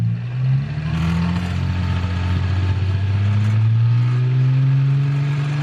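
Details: Car exhaust after fixing a leak: the Y-pipe had come disconnected with one bolt missing and the other's nut lost, and was reconnected and tightened. Deep, smooth drone rising evenly with revs, no puffing or ticking at the joints; no leak.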